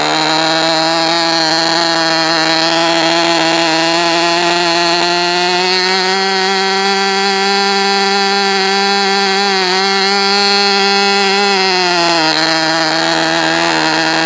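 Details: Enya 19-VI TV two-stroke model engine (steel sleeve, lapped cast iron piston, unknown history) on homebrew 80/20 fuel, Top Flight 8-6 wood prop, Indian No. 3 plug. High, steady buzz with slight burbling and speed swings, run rich as a break-in heat cycle. Normal running.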